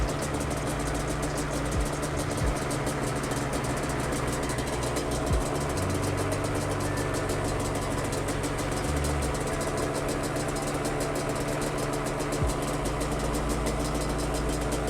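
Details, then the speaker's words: Yamaha Banshee twin carbs after a flow-meter sync, both set to 10 by adjusting the throttle cable: idle comes up to a steady, even two-stroke idle with a crisp, rapid rattle and no hunting, carbs balanced. "You can hear the idle coming up, and that's exactly what we want. And now both carbs should be perfectly in sync."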